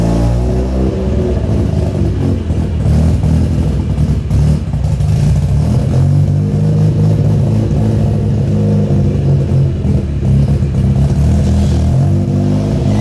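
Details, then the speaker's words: Mazda RX-7 FC3S Turbo II rotary on its new welded stainless exhaust with the cat deleted, trying a launch. Deep, strong exhaust note climbs cleanly under load with no stumble or rattle; normal, healthy launch acceleration. "I mean, it's just an enjoyable day. All right, boys, so we're gonna try a launch in the FC."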